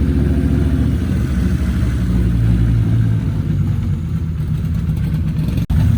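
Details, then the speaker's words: Volvo 850 first fire-up after engine rebuild and reinstall: steady, even low rumble with slightly lumpy idle, no knocks or rattles; clutch still to be bled, coolant reservoir just fitted; normal running after rebuild. "So guys, I got it fired up and I'm literally so ecstatic."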